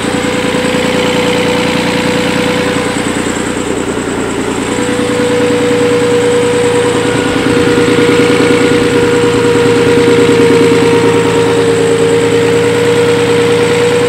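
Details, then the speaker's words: Nissan 300ZX Z32 after an engine swap, idling too low and slightly unevenly: steady mid-pitched whine; confirmed vacuum leak, owner suspects a wrongly fitted plenum gasket; EGR (deleted) and knock-sensor codes are set. "I'm going to try and get the whine on video."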